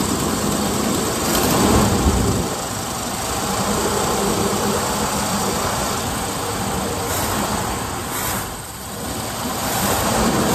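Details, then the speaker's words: 1978 Ford Bronco Ranger XLT with 400 V8, sitting 20+ years, running on a fresh battery: steady, even rumble with no misses or knocks. Normal running. "All right, that's what we were after."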